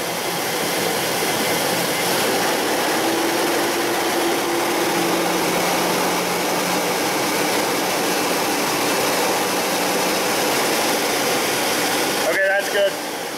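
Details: Mazda B3000 / Ford Ranger 3.0 V6, after fixing a lean code (P0171) and misfire; held at raised rpm it gives a smooth, constant hum with no stumbles or popping, total fuel trim near zero, running clean.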